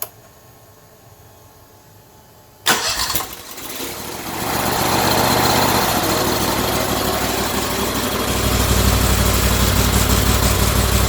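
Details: Turbocharged go-kart engine of about 25–26 hp, ignition timing advanced 5–10 degrees, no boost reference regulator: a sharp catch on start, then a smooth, steady run with even pulses; healthy start and idle.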